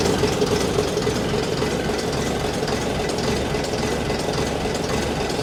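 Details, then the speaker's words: AEC Matador 7.7 litre diesel after injection pump and injector overhaul, warming up on a cold day after over an hour's running: steady, even idle with low churn, no knocks or rattles, still a bit smoky but sounds fine; normal warm-up idle. "Still a bit smokeoky, but don't sound too bad."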